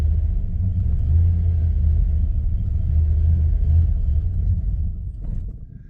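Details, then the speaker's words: 1998 Jeep Grand Cherokee ZJ 5.9 Limited: a deep, uneven idle rumble sags and fades as the engine dies. Gauges cut in and out and the fuel pump sometimes isn't heard; the owner suspects a loose ignition switch, connection or ground, unconfirmed, and the fuel sending unit is known faulty. "as it dies out. Then it won't crank and run like that again, I don't think."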